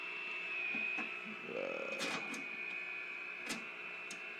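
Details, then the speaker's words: RCA 621TS TV, 1 kHz test tone applied to the sound circuit after video IF alignment: thin high whistle with chirps and pops instead of the tone, audio weak; circuit oscillating, tube voltages in spec. "Should be getting a tone. But we're just getting a lot of whistles and chirps."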